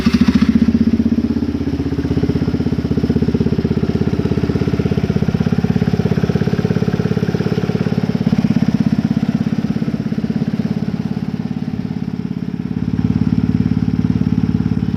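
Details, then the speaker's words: Can-Am Bombardier 400 carbureted ATV with a fuel pump, bought used, started with the brake held: fires right up and settles into an even, steady idle with a slight lift near the end; healthy. "So as you can see, she fires right up."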